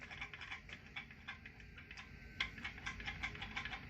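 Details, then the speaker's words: McCulloch PM610 chainsaw, clutch and spark plug removed, crank turned by hand and suddenly very tight: sharp light ticks every quarter to half second; suspected bottom end knock, crank play seems fine. "Something don't sound good. It's like a bottom end knocker."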